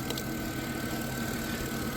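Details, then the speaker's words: 2000 Chrysler Grand Voyager SE, off the road over 8 years, warm idle after half an hour running: thin whine and gurgle from the power steering pump, owner suspects an empty reservoir letting it draw air. "Um, the power steering is empty, I bet. Oh, yeah. I can hear it. I can hear it gurgling."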